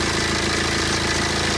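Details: BMW 120d N47 diesel at 125,000 km, cold idle: fast dry clatter over the combustion knock, clearer when cold; suspected timing chain rattle, not confirmed.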